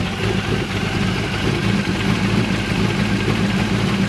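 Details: Chevrolet Malibu small-block V8 just fitted with a new top end (heads unchanged), run without air cleaner; steady, even idle with smooth low rumble, no knocks or misses. Normal idle.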